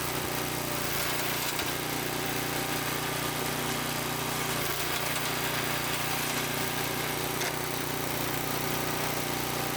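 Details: Small single-cylinder tiller engine idling in neutral after about 20 years sitting, once fuel was added; steady, even putter at constant speed with no misses or knocks: normal idle.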